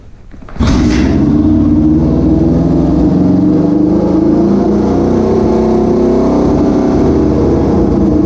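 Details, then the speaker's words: 1973 Honda CL350 twin, restored from non-running after sitting, kick-started: catches on one kick, then settles into a steady, even run with no knocks or misses; normal running. "let's just see if we can give this a quick kick so you can hear what it sounds like I'll give her a quick kick"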